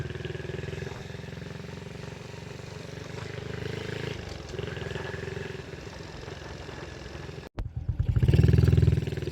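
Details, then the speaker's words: RS 125 carburetor-type motorcycle on a test ride after the noisy primary clutch was fixed (inner one-way bearing was the culprit); steady, even single-cylinder beat under road wind, no rattle from the clutch side, running normally. "naguwi na tayo guys so hindi naman sa umingay lumabas harang araw Yan hindi naman siya umingay"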